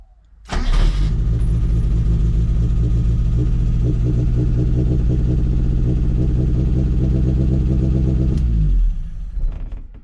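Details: 1977 Mitsubishi Sigma Lancer, first start after fixing a loose earth inside the distributor: catches within half a second and settles into a smooth, even idle with no misses or knocks until switched off; normal idle.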